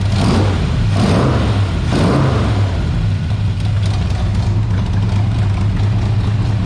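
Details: International rat rod truck V8 with a lumpy, uneven idle after a few throttle blips, the beat never settling; gas had pooled near the carb. Rough idle from a dirty carburetor needing cleaning, before a carburetor rebuild.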